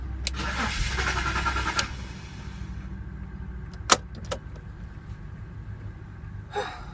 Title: Bmw x5 2006 3.0i cranking wont start